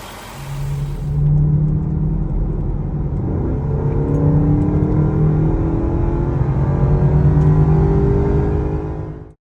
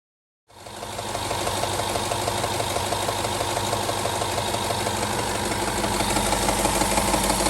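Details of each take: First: 2011 Range Rover HSE 5.0 naturally aspirated V8 at 125k miles, after replacing the worn timing chain tensioners (chains kept, zip tie method): steady, even hum with no ticking or rattle from the front, normal smooth running. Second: 2011 Range Rover HSE 5.0 naturally aspirated V8 at 125k miles, starting and idling with a steady metallic rattle from worn timing chain tensioners, before tensioner replacement.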